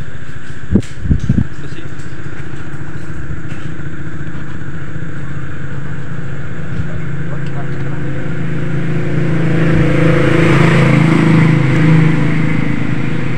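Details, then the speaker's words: Honda Vario 125 scooter after a repair for a fuel pump that wouldn't hum and lost ignition, ECU in mode one: a steady idle, then the engine picks up cleanly on the throttle. Running normally with no delay; the ECU fault history still needs a manual reset. "Oke Guys Alhamdulillah ya untuk motornya sudah normal ya kita gas udah responsif ya untuk gasnya nak delay"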